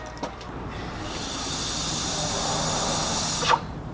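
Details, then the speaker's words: Turbocharged car, engine off, PCV hose replaced with a spare hose and air blown in by mouth to 2–3 psi: a steady airy hiss for about two seconds, then a sharp cutoff, confirming a boost leak. "I can actually get two or 3 three PSI just by blowing through that hose and you can hear the hissing so there's definitely a boost leak"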